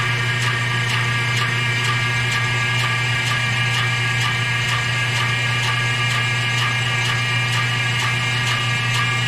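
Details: Bandsaw running with a new blade and adjusted guides: steady hum with a faint scrape about twice a second as the wheels turn. The top wheel barely rubs, but the noise seems to come from the bottom pulley; cause unconfirmed.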